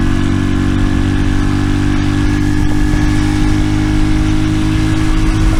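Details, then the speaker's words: RPS Racer 140 single-cylinder with new stainless side-exit exhaust and NIBBI PE24 carb jetted to 115 main/40 pilot, warmed up, choke off: steady even idle at 1,100 RPM, smooth low thump, no misses or knocks; normal idle. "Yeah, see it'll idle way down at 1,100 RPM, no problem. This thing sounds good."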